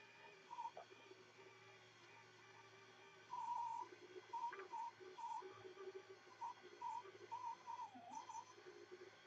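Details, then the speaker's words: Brunt Blind Engine motor raising a blind: uneven whining bursts sag in pitch as the small motor labours hard against the load pulling it up. Lowering is smooth. "no it's actually took it back up on that occasion but you did hear how hard it was struggling to pulley"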